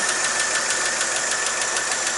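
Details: 1959 Chevrolet Apache 3100 pickup after replacing leaking exhaust manifold gaskets; even steady idle pulse about six beats a second, no knock or tick; running normally.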